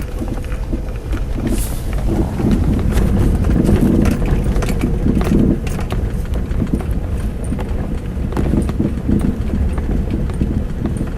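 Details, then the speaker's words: Four-year-old Mazda 6, right front suspension, while driving: irregular hollow clunks about four a second. Strut bushing and upper ball joint replaced and reaction rod disconnected with no change; knock source not found. "Передняя подвеска, правая сторона, стучит. Мастера ищут, не могут найти."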